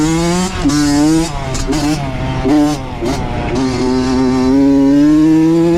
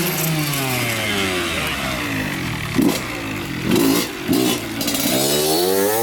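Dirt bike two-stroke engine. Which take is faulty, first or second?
second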